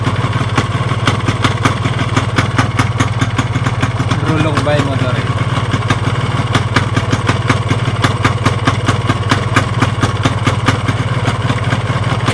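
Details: Yamaha RX-King two-stroke motorcycle engine: sharp, evenly spaced clatter over the idle, following engine speed; crankshaft worn with rod side play, connecting rod and piston also worn.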